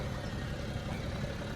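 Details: BMW E92 335d diesel after replacing the EGR valve hose and clamping a leaking pipe. A low, steady idle with an even rumble and no knocks, hiss or rattles; the engine sounds healthy.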